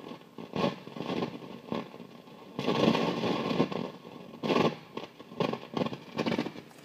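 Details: Modded Marshall JVM tube amps after warm-up and standby off: irregular crackling and popping that grows louder; absent over headphones and with the V5 preamp tube pulled, owner unsure whether power or preamp section is at fault.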